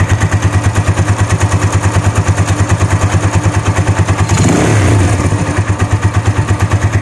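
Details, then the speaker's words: Vperman 150 motorcycle at idle, recorded at the cylinder head after a tune-up and valve clearance adjustment only reduced it; a light metallic tick about three times a second, like two metals knocking, rides over the idle and persists through a blip. "kala mo parang may sisiw na tumutunog na dalawang metal na nag-uumpugan. Yung tunog, ganun yung tunog niya, no?"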